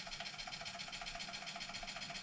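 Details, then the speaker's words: Sinclair Spectrum +2A built-in tape drive playing: faint fast regular fluttering whir at about eight pulses a second over hiss; tape mechanism functions but is noisy, cause still to be investigated. "it doesn't sound well so I'm going to need to investigate wise making that noise"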